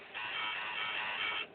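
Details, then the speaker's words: Advent 7081 early-2000s laptop during a Windows 98 install, before the mouse was properly recognised. A buzzy, high-pitched tone of just over a second comes from the speakers whenever the mouse moves; noise from speakers when mouse moves. "When I move the mouse around, it makes a noise at me. Oh, it should be working. Why isn't it?"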